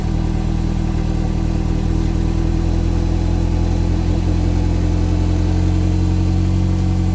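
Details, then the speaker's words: Mini Cooper after coolant system repair, heard from behind at the exhaust while given a couple of revs: deep, steady exhaust rumble with a smooth even pulse, no popping, rattling or misfire. "you know what guys I really haven't heard it on the camera either or really heard a good sound of the exhaust mount from behind so"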